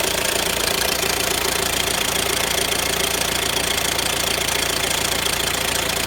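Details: Renault Grand Scenic 1.6 dCi 130 diesel at idle: a fast, fairly even light metallic clatter of about three or four ticks a second. A noisy chain is suspected; origin unconfirmed.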